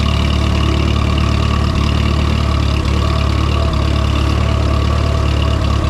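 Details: Minneapolis-Moline M5 tractor idling after a cold start on a 25-degree morning, hydraulic oil thick; even low thump about three beats a second, no knocks or rattles; oil pressure good, charging; healthy settled idle.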